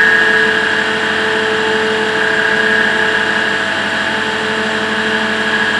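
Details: EBM-Papst 4656 ZWU fan after running for years without powering off: steady whir with a rough, gritty hiss and high whining tones from bad bearings.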